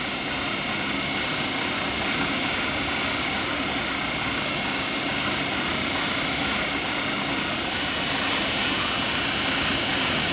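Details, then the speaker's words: Otis elevator DC generator run on inspection in the basement while the new brushes are burnished on the commutator with a fiberglass tool: a steady high rushing hiss with faint scraping; the old worn brushes had caused poor floor leveling. "hopefully you can hear me over all this running and again all this is doing is cleaning it"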